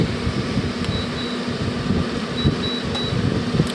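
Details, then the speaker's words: LG 12,000 BTU 220-volt air conditioner/heat unit switched to heat mode: steady even fan rush with soft low hum, no rattles or grinding; heat works, normal heat mode operation. "put it on heat and see. Yeah, heat works. This thing works quite well."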